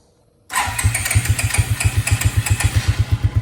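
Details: 2002 Suzuki King Quad 300 4x4, cold, after taking the choke off: silent, then the single fires and settles into a steady thumping idle around four beats a second; clean start.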